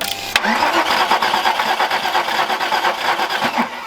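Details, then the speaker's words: VW Bora (MK4) on Mega Squirt, cold weather, no codes, fuel smell: starter churns steadily about three beats a second but engine never catches; cranks, no start, owner suspects no spark. "I smell fuel. It's like I'm not getting spark."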